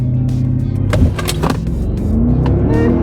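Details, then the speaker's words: Stock 2007 Mercedes R63 AMG, naturally aspirated 6.2L M156 V8, new wheel bearings, baseline 0-60 launch (about 4.9 s): strong deep V8 pull climbing smoothly, no hum, growl or grinding from the wheels; normal acceleration. "launch Oh sounds so good with these new wheel bearings"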